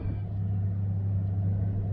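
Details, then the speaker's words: 2002 Ford F350 V10 manual with over 200,000 miles, after a new AC compressor clutch pulley and bearing. Deep, even rumble with no squeal or grinding; the bearing noise is gone. A slight noise at startup hints something else may be worn. "It's not making those horrific noises that it was making before when that bearing was going out."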